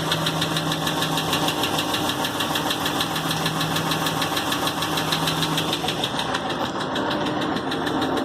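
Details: 2016 6.4 Hemi, 23k miles, at idle: steady light ticking knock, about three beats a second. It began 24 hours after a dealer oil change with normal fluids and gauges and no warning lights, then stopped after 24 hours. Cause unknown.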